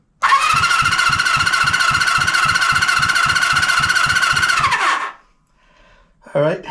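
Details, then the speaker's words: 1974 Honda CB350F four-cylinder, long sitting, cold and without oil, cranking compression test on cylinder one reading about 80. Steady starter cranking with even compression pulses, roughly three or four per second. "Not big money. About 80. Might be okay. Seeing as like I said, it's not warm. I didn't put any oil in it and it's been sitting."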